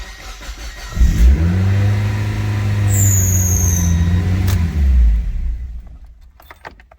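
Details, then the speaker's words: 1.8L 2nd-gen Mazda Miata on first start after installing a Skunk2 throttle body: catches and holds a fast, steady drone near 3000 rpm instead of idling; throttle stop set too far open. "Alright, I idled really high. Okay, when I first fired it up, the idle was way too high."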